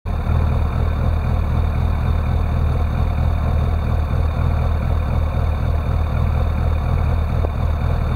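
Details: Classic Rover Mini with an unstable idle: it won't rev when the throttle is opened, although the throttle voltage changes. Low, lumpy, uneven idle pulse that never settles or climbs; cause not yet found.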